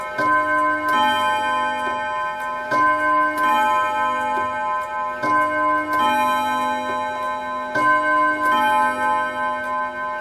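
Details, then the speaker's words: Refurbished Mauthe German box wall clock, 4-rod 4-hammer strike: even bim-bam chime pairs about every two and a half seconds striking 10 o'clock; healthy hour strike. "And of course, it has just struck 10 o'clock in the morning."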